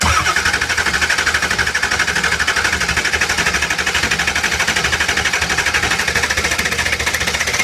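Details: 2002 Ford Expedition 7.3 L Power Stroke, hot, valve covers off, ICP pressure not building: steady starter churning about 2.5 beats a second, never firing; a leaking injector oil seal pumps oil out, though the dual ICP test passed.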